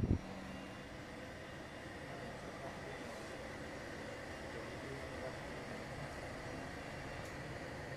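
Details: LG portable air conditioner running on its top fan speed, F3 (F2 measured about 46 dB): steady, even rush of air with a faint low hum and no rattles or ticking; normal fan noise.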